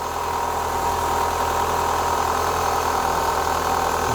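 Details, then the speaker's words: 2004 Renault Clio 182 left standing for years, first start and tiny rev: steady idle with a fast, light rattle at the top of the engine; bottom end sounds fine. "starting to there's a little noise at the top give it a tiny Rev that don't sound too bad"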